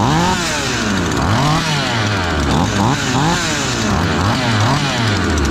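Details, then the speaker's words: Ported Husqvarna 543XP and Cologne 843 chainsaws, fresh, needing break-in: two saws burbling unevenly with loose, blubbery four-stroke break as revs wander; rich break-in tune, running fine. "They're both four-stroking, which is good."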